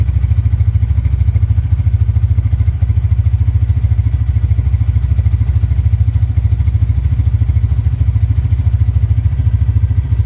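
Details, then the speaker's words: Honda Tiger Revolution 2011 single-cylinder motorcycle, 10,800 km, choke off, idling at about 1,000 rpm: steady even low putter, about three beats a second, light characteristic tek-tek sound, no misses or knocks; healthy idle. "ini untuk stasioner Sungguhnya nih pas banget ya dikali 1000 dengerin temen-temen jadi kayak masih ada suara tek tek tek sama jring jring jring jring"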